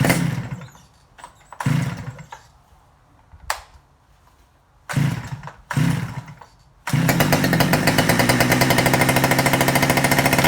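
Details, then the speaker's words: Stihl 009L chainsaw after cleaning and repair for a no-start, started with a little choke and the throttle locked: several short pull bursts, then it catches into a steady, even buzz with crisp firing. Now runs normally. "[Music] that sounds all right"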